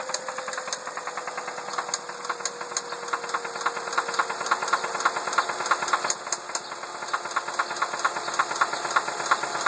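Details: 2003 Ford Focus petrol engine at idle with a sharp rattly knock about three times a second; cause unknown.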